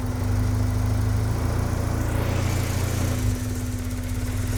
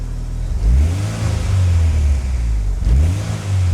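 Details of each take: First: Turbo Acura Integra project car first start after new injector install and tuning, following an 1,800-mile road trip; lumpy, hunting, stumbling idle, running very rough, likely from ignition timing reset because the service connector wasn't jumped, fixed by adjusting timing. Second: Turbo Acura Integra after new injectors and ignition timing corrected, good AFR and steady idle; two clean quick blips returning smoothly to idle with no stumble, revving normally.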